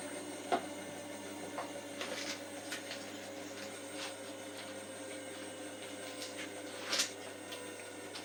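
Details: Hotpoint washing machine on a 30-minute cycle spins with a steady drone broken by brief high squeaks and light taps; the squeaking during spin has been happening for a few days.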